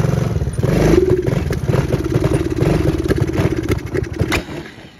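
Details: Small engine, mismade stator plate and/or flywheel advancing electrical spark timing past the F mark: rapid metallic pinging and knocking on every firing pulse while revving, first mistaken for a loose connecting rod; detonation from over-advanced ignition timing.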